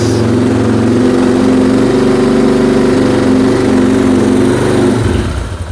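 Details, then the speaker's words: Moto 4 ATV being restored, first start: rough uneven putter about five seconds then sags and nearly stalls as choke closed too early; running a bit lean; stumbling from choke closed too early. "Oh, I turned the choke off a bit too early. Oh, got lost in compression anyways."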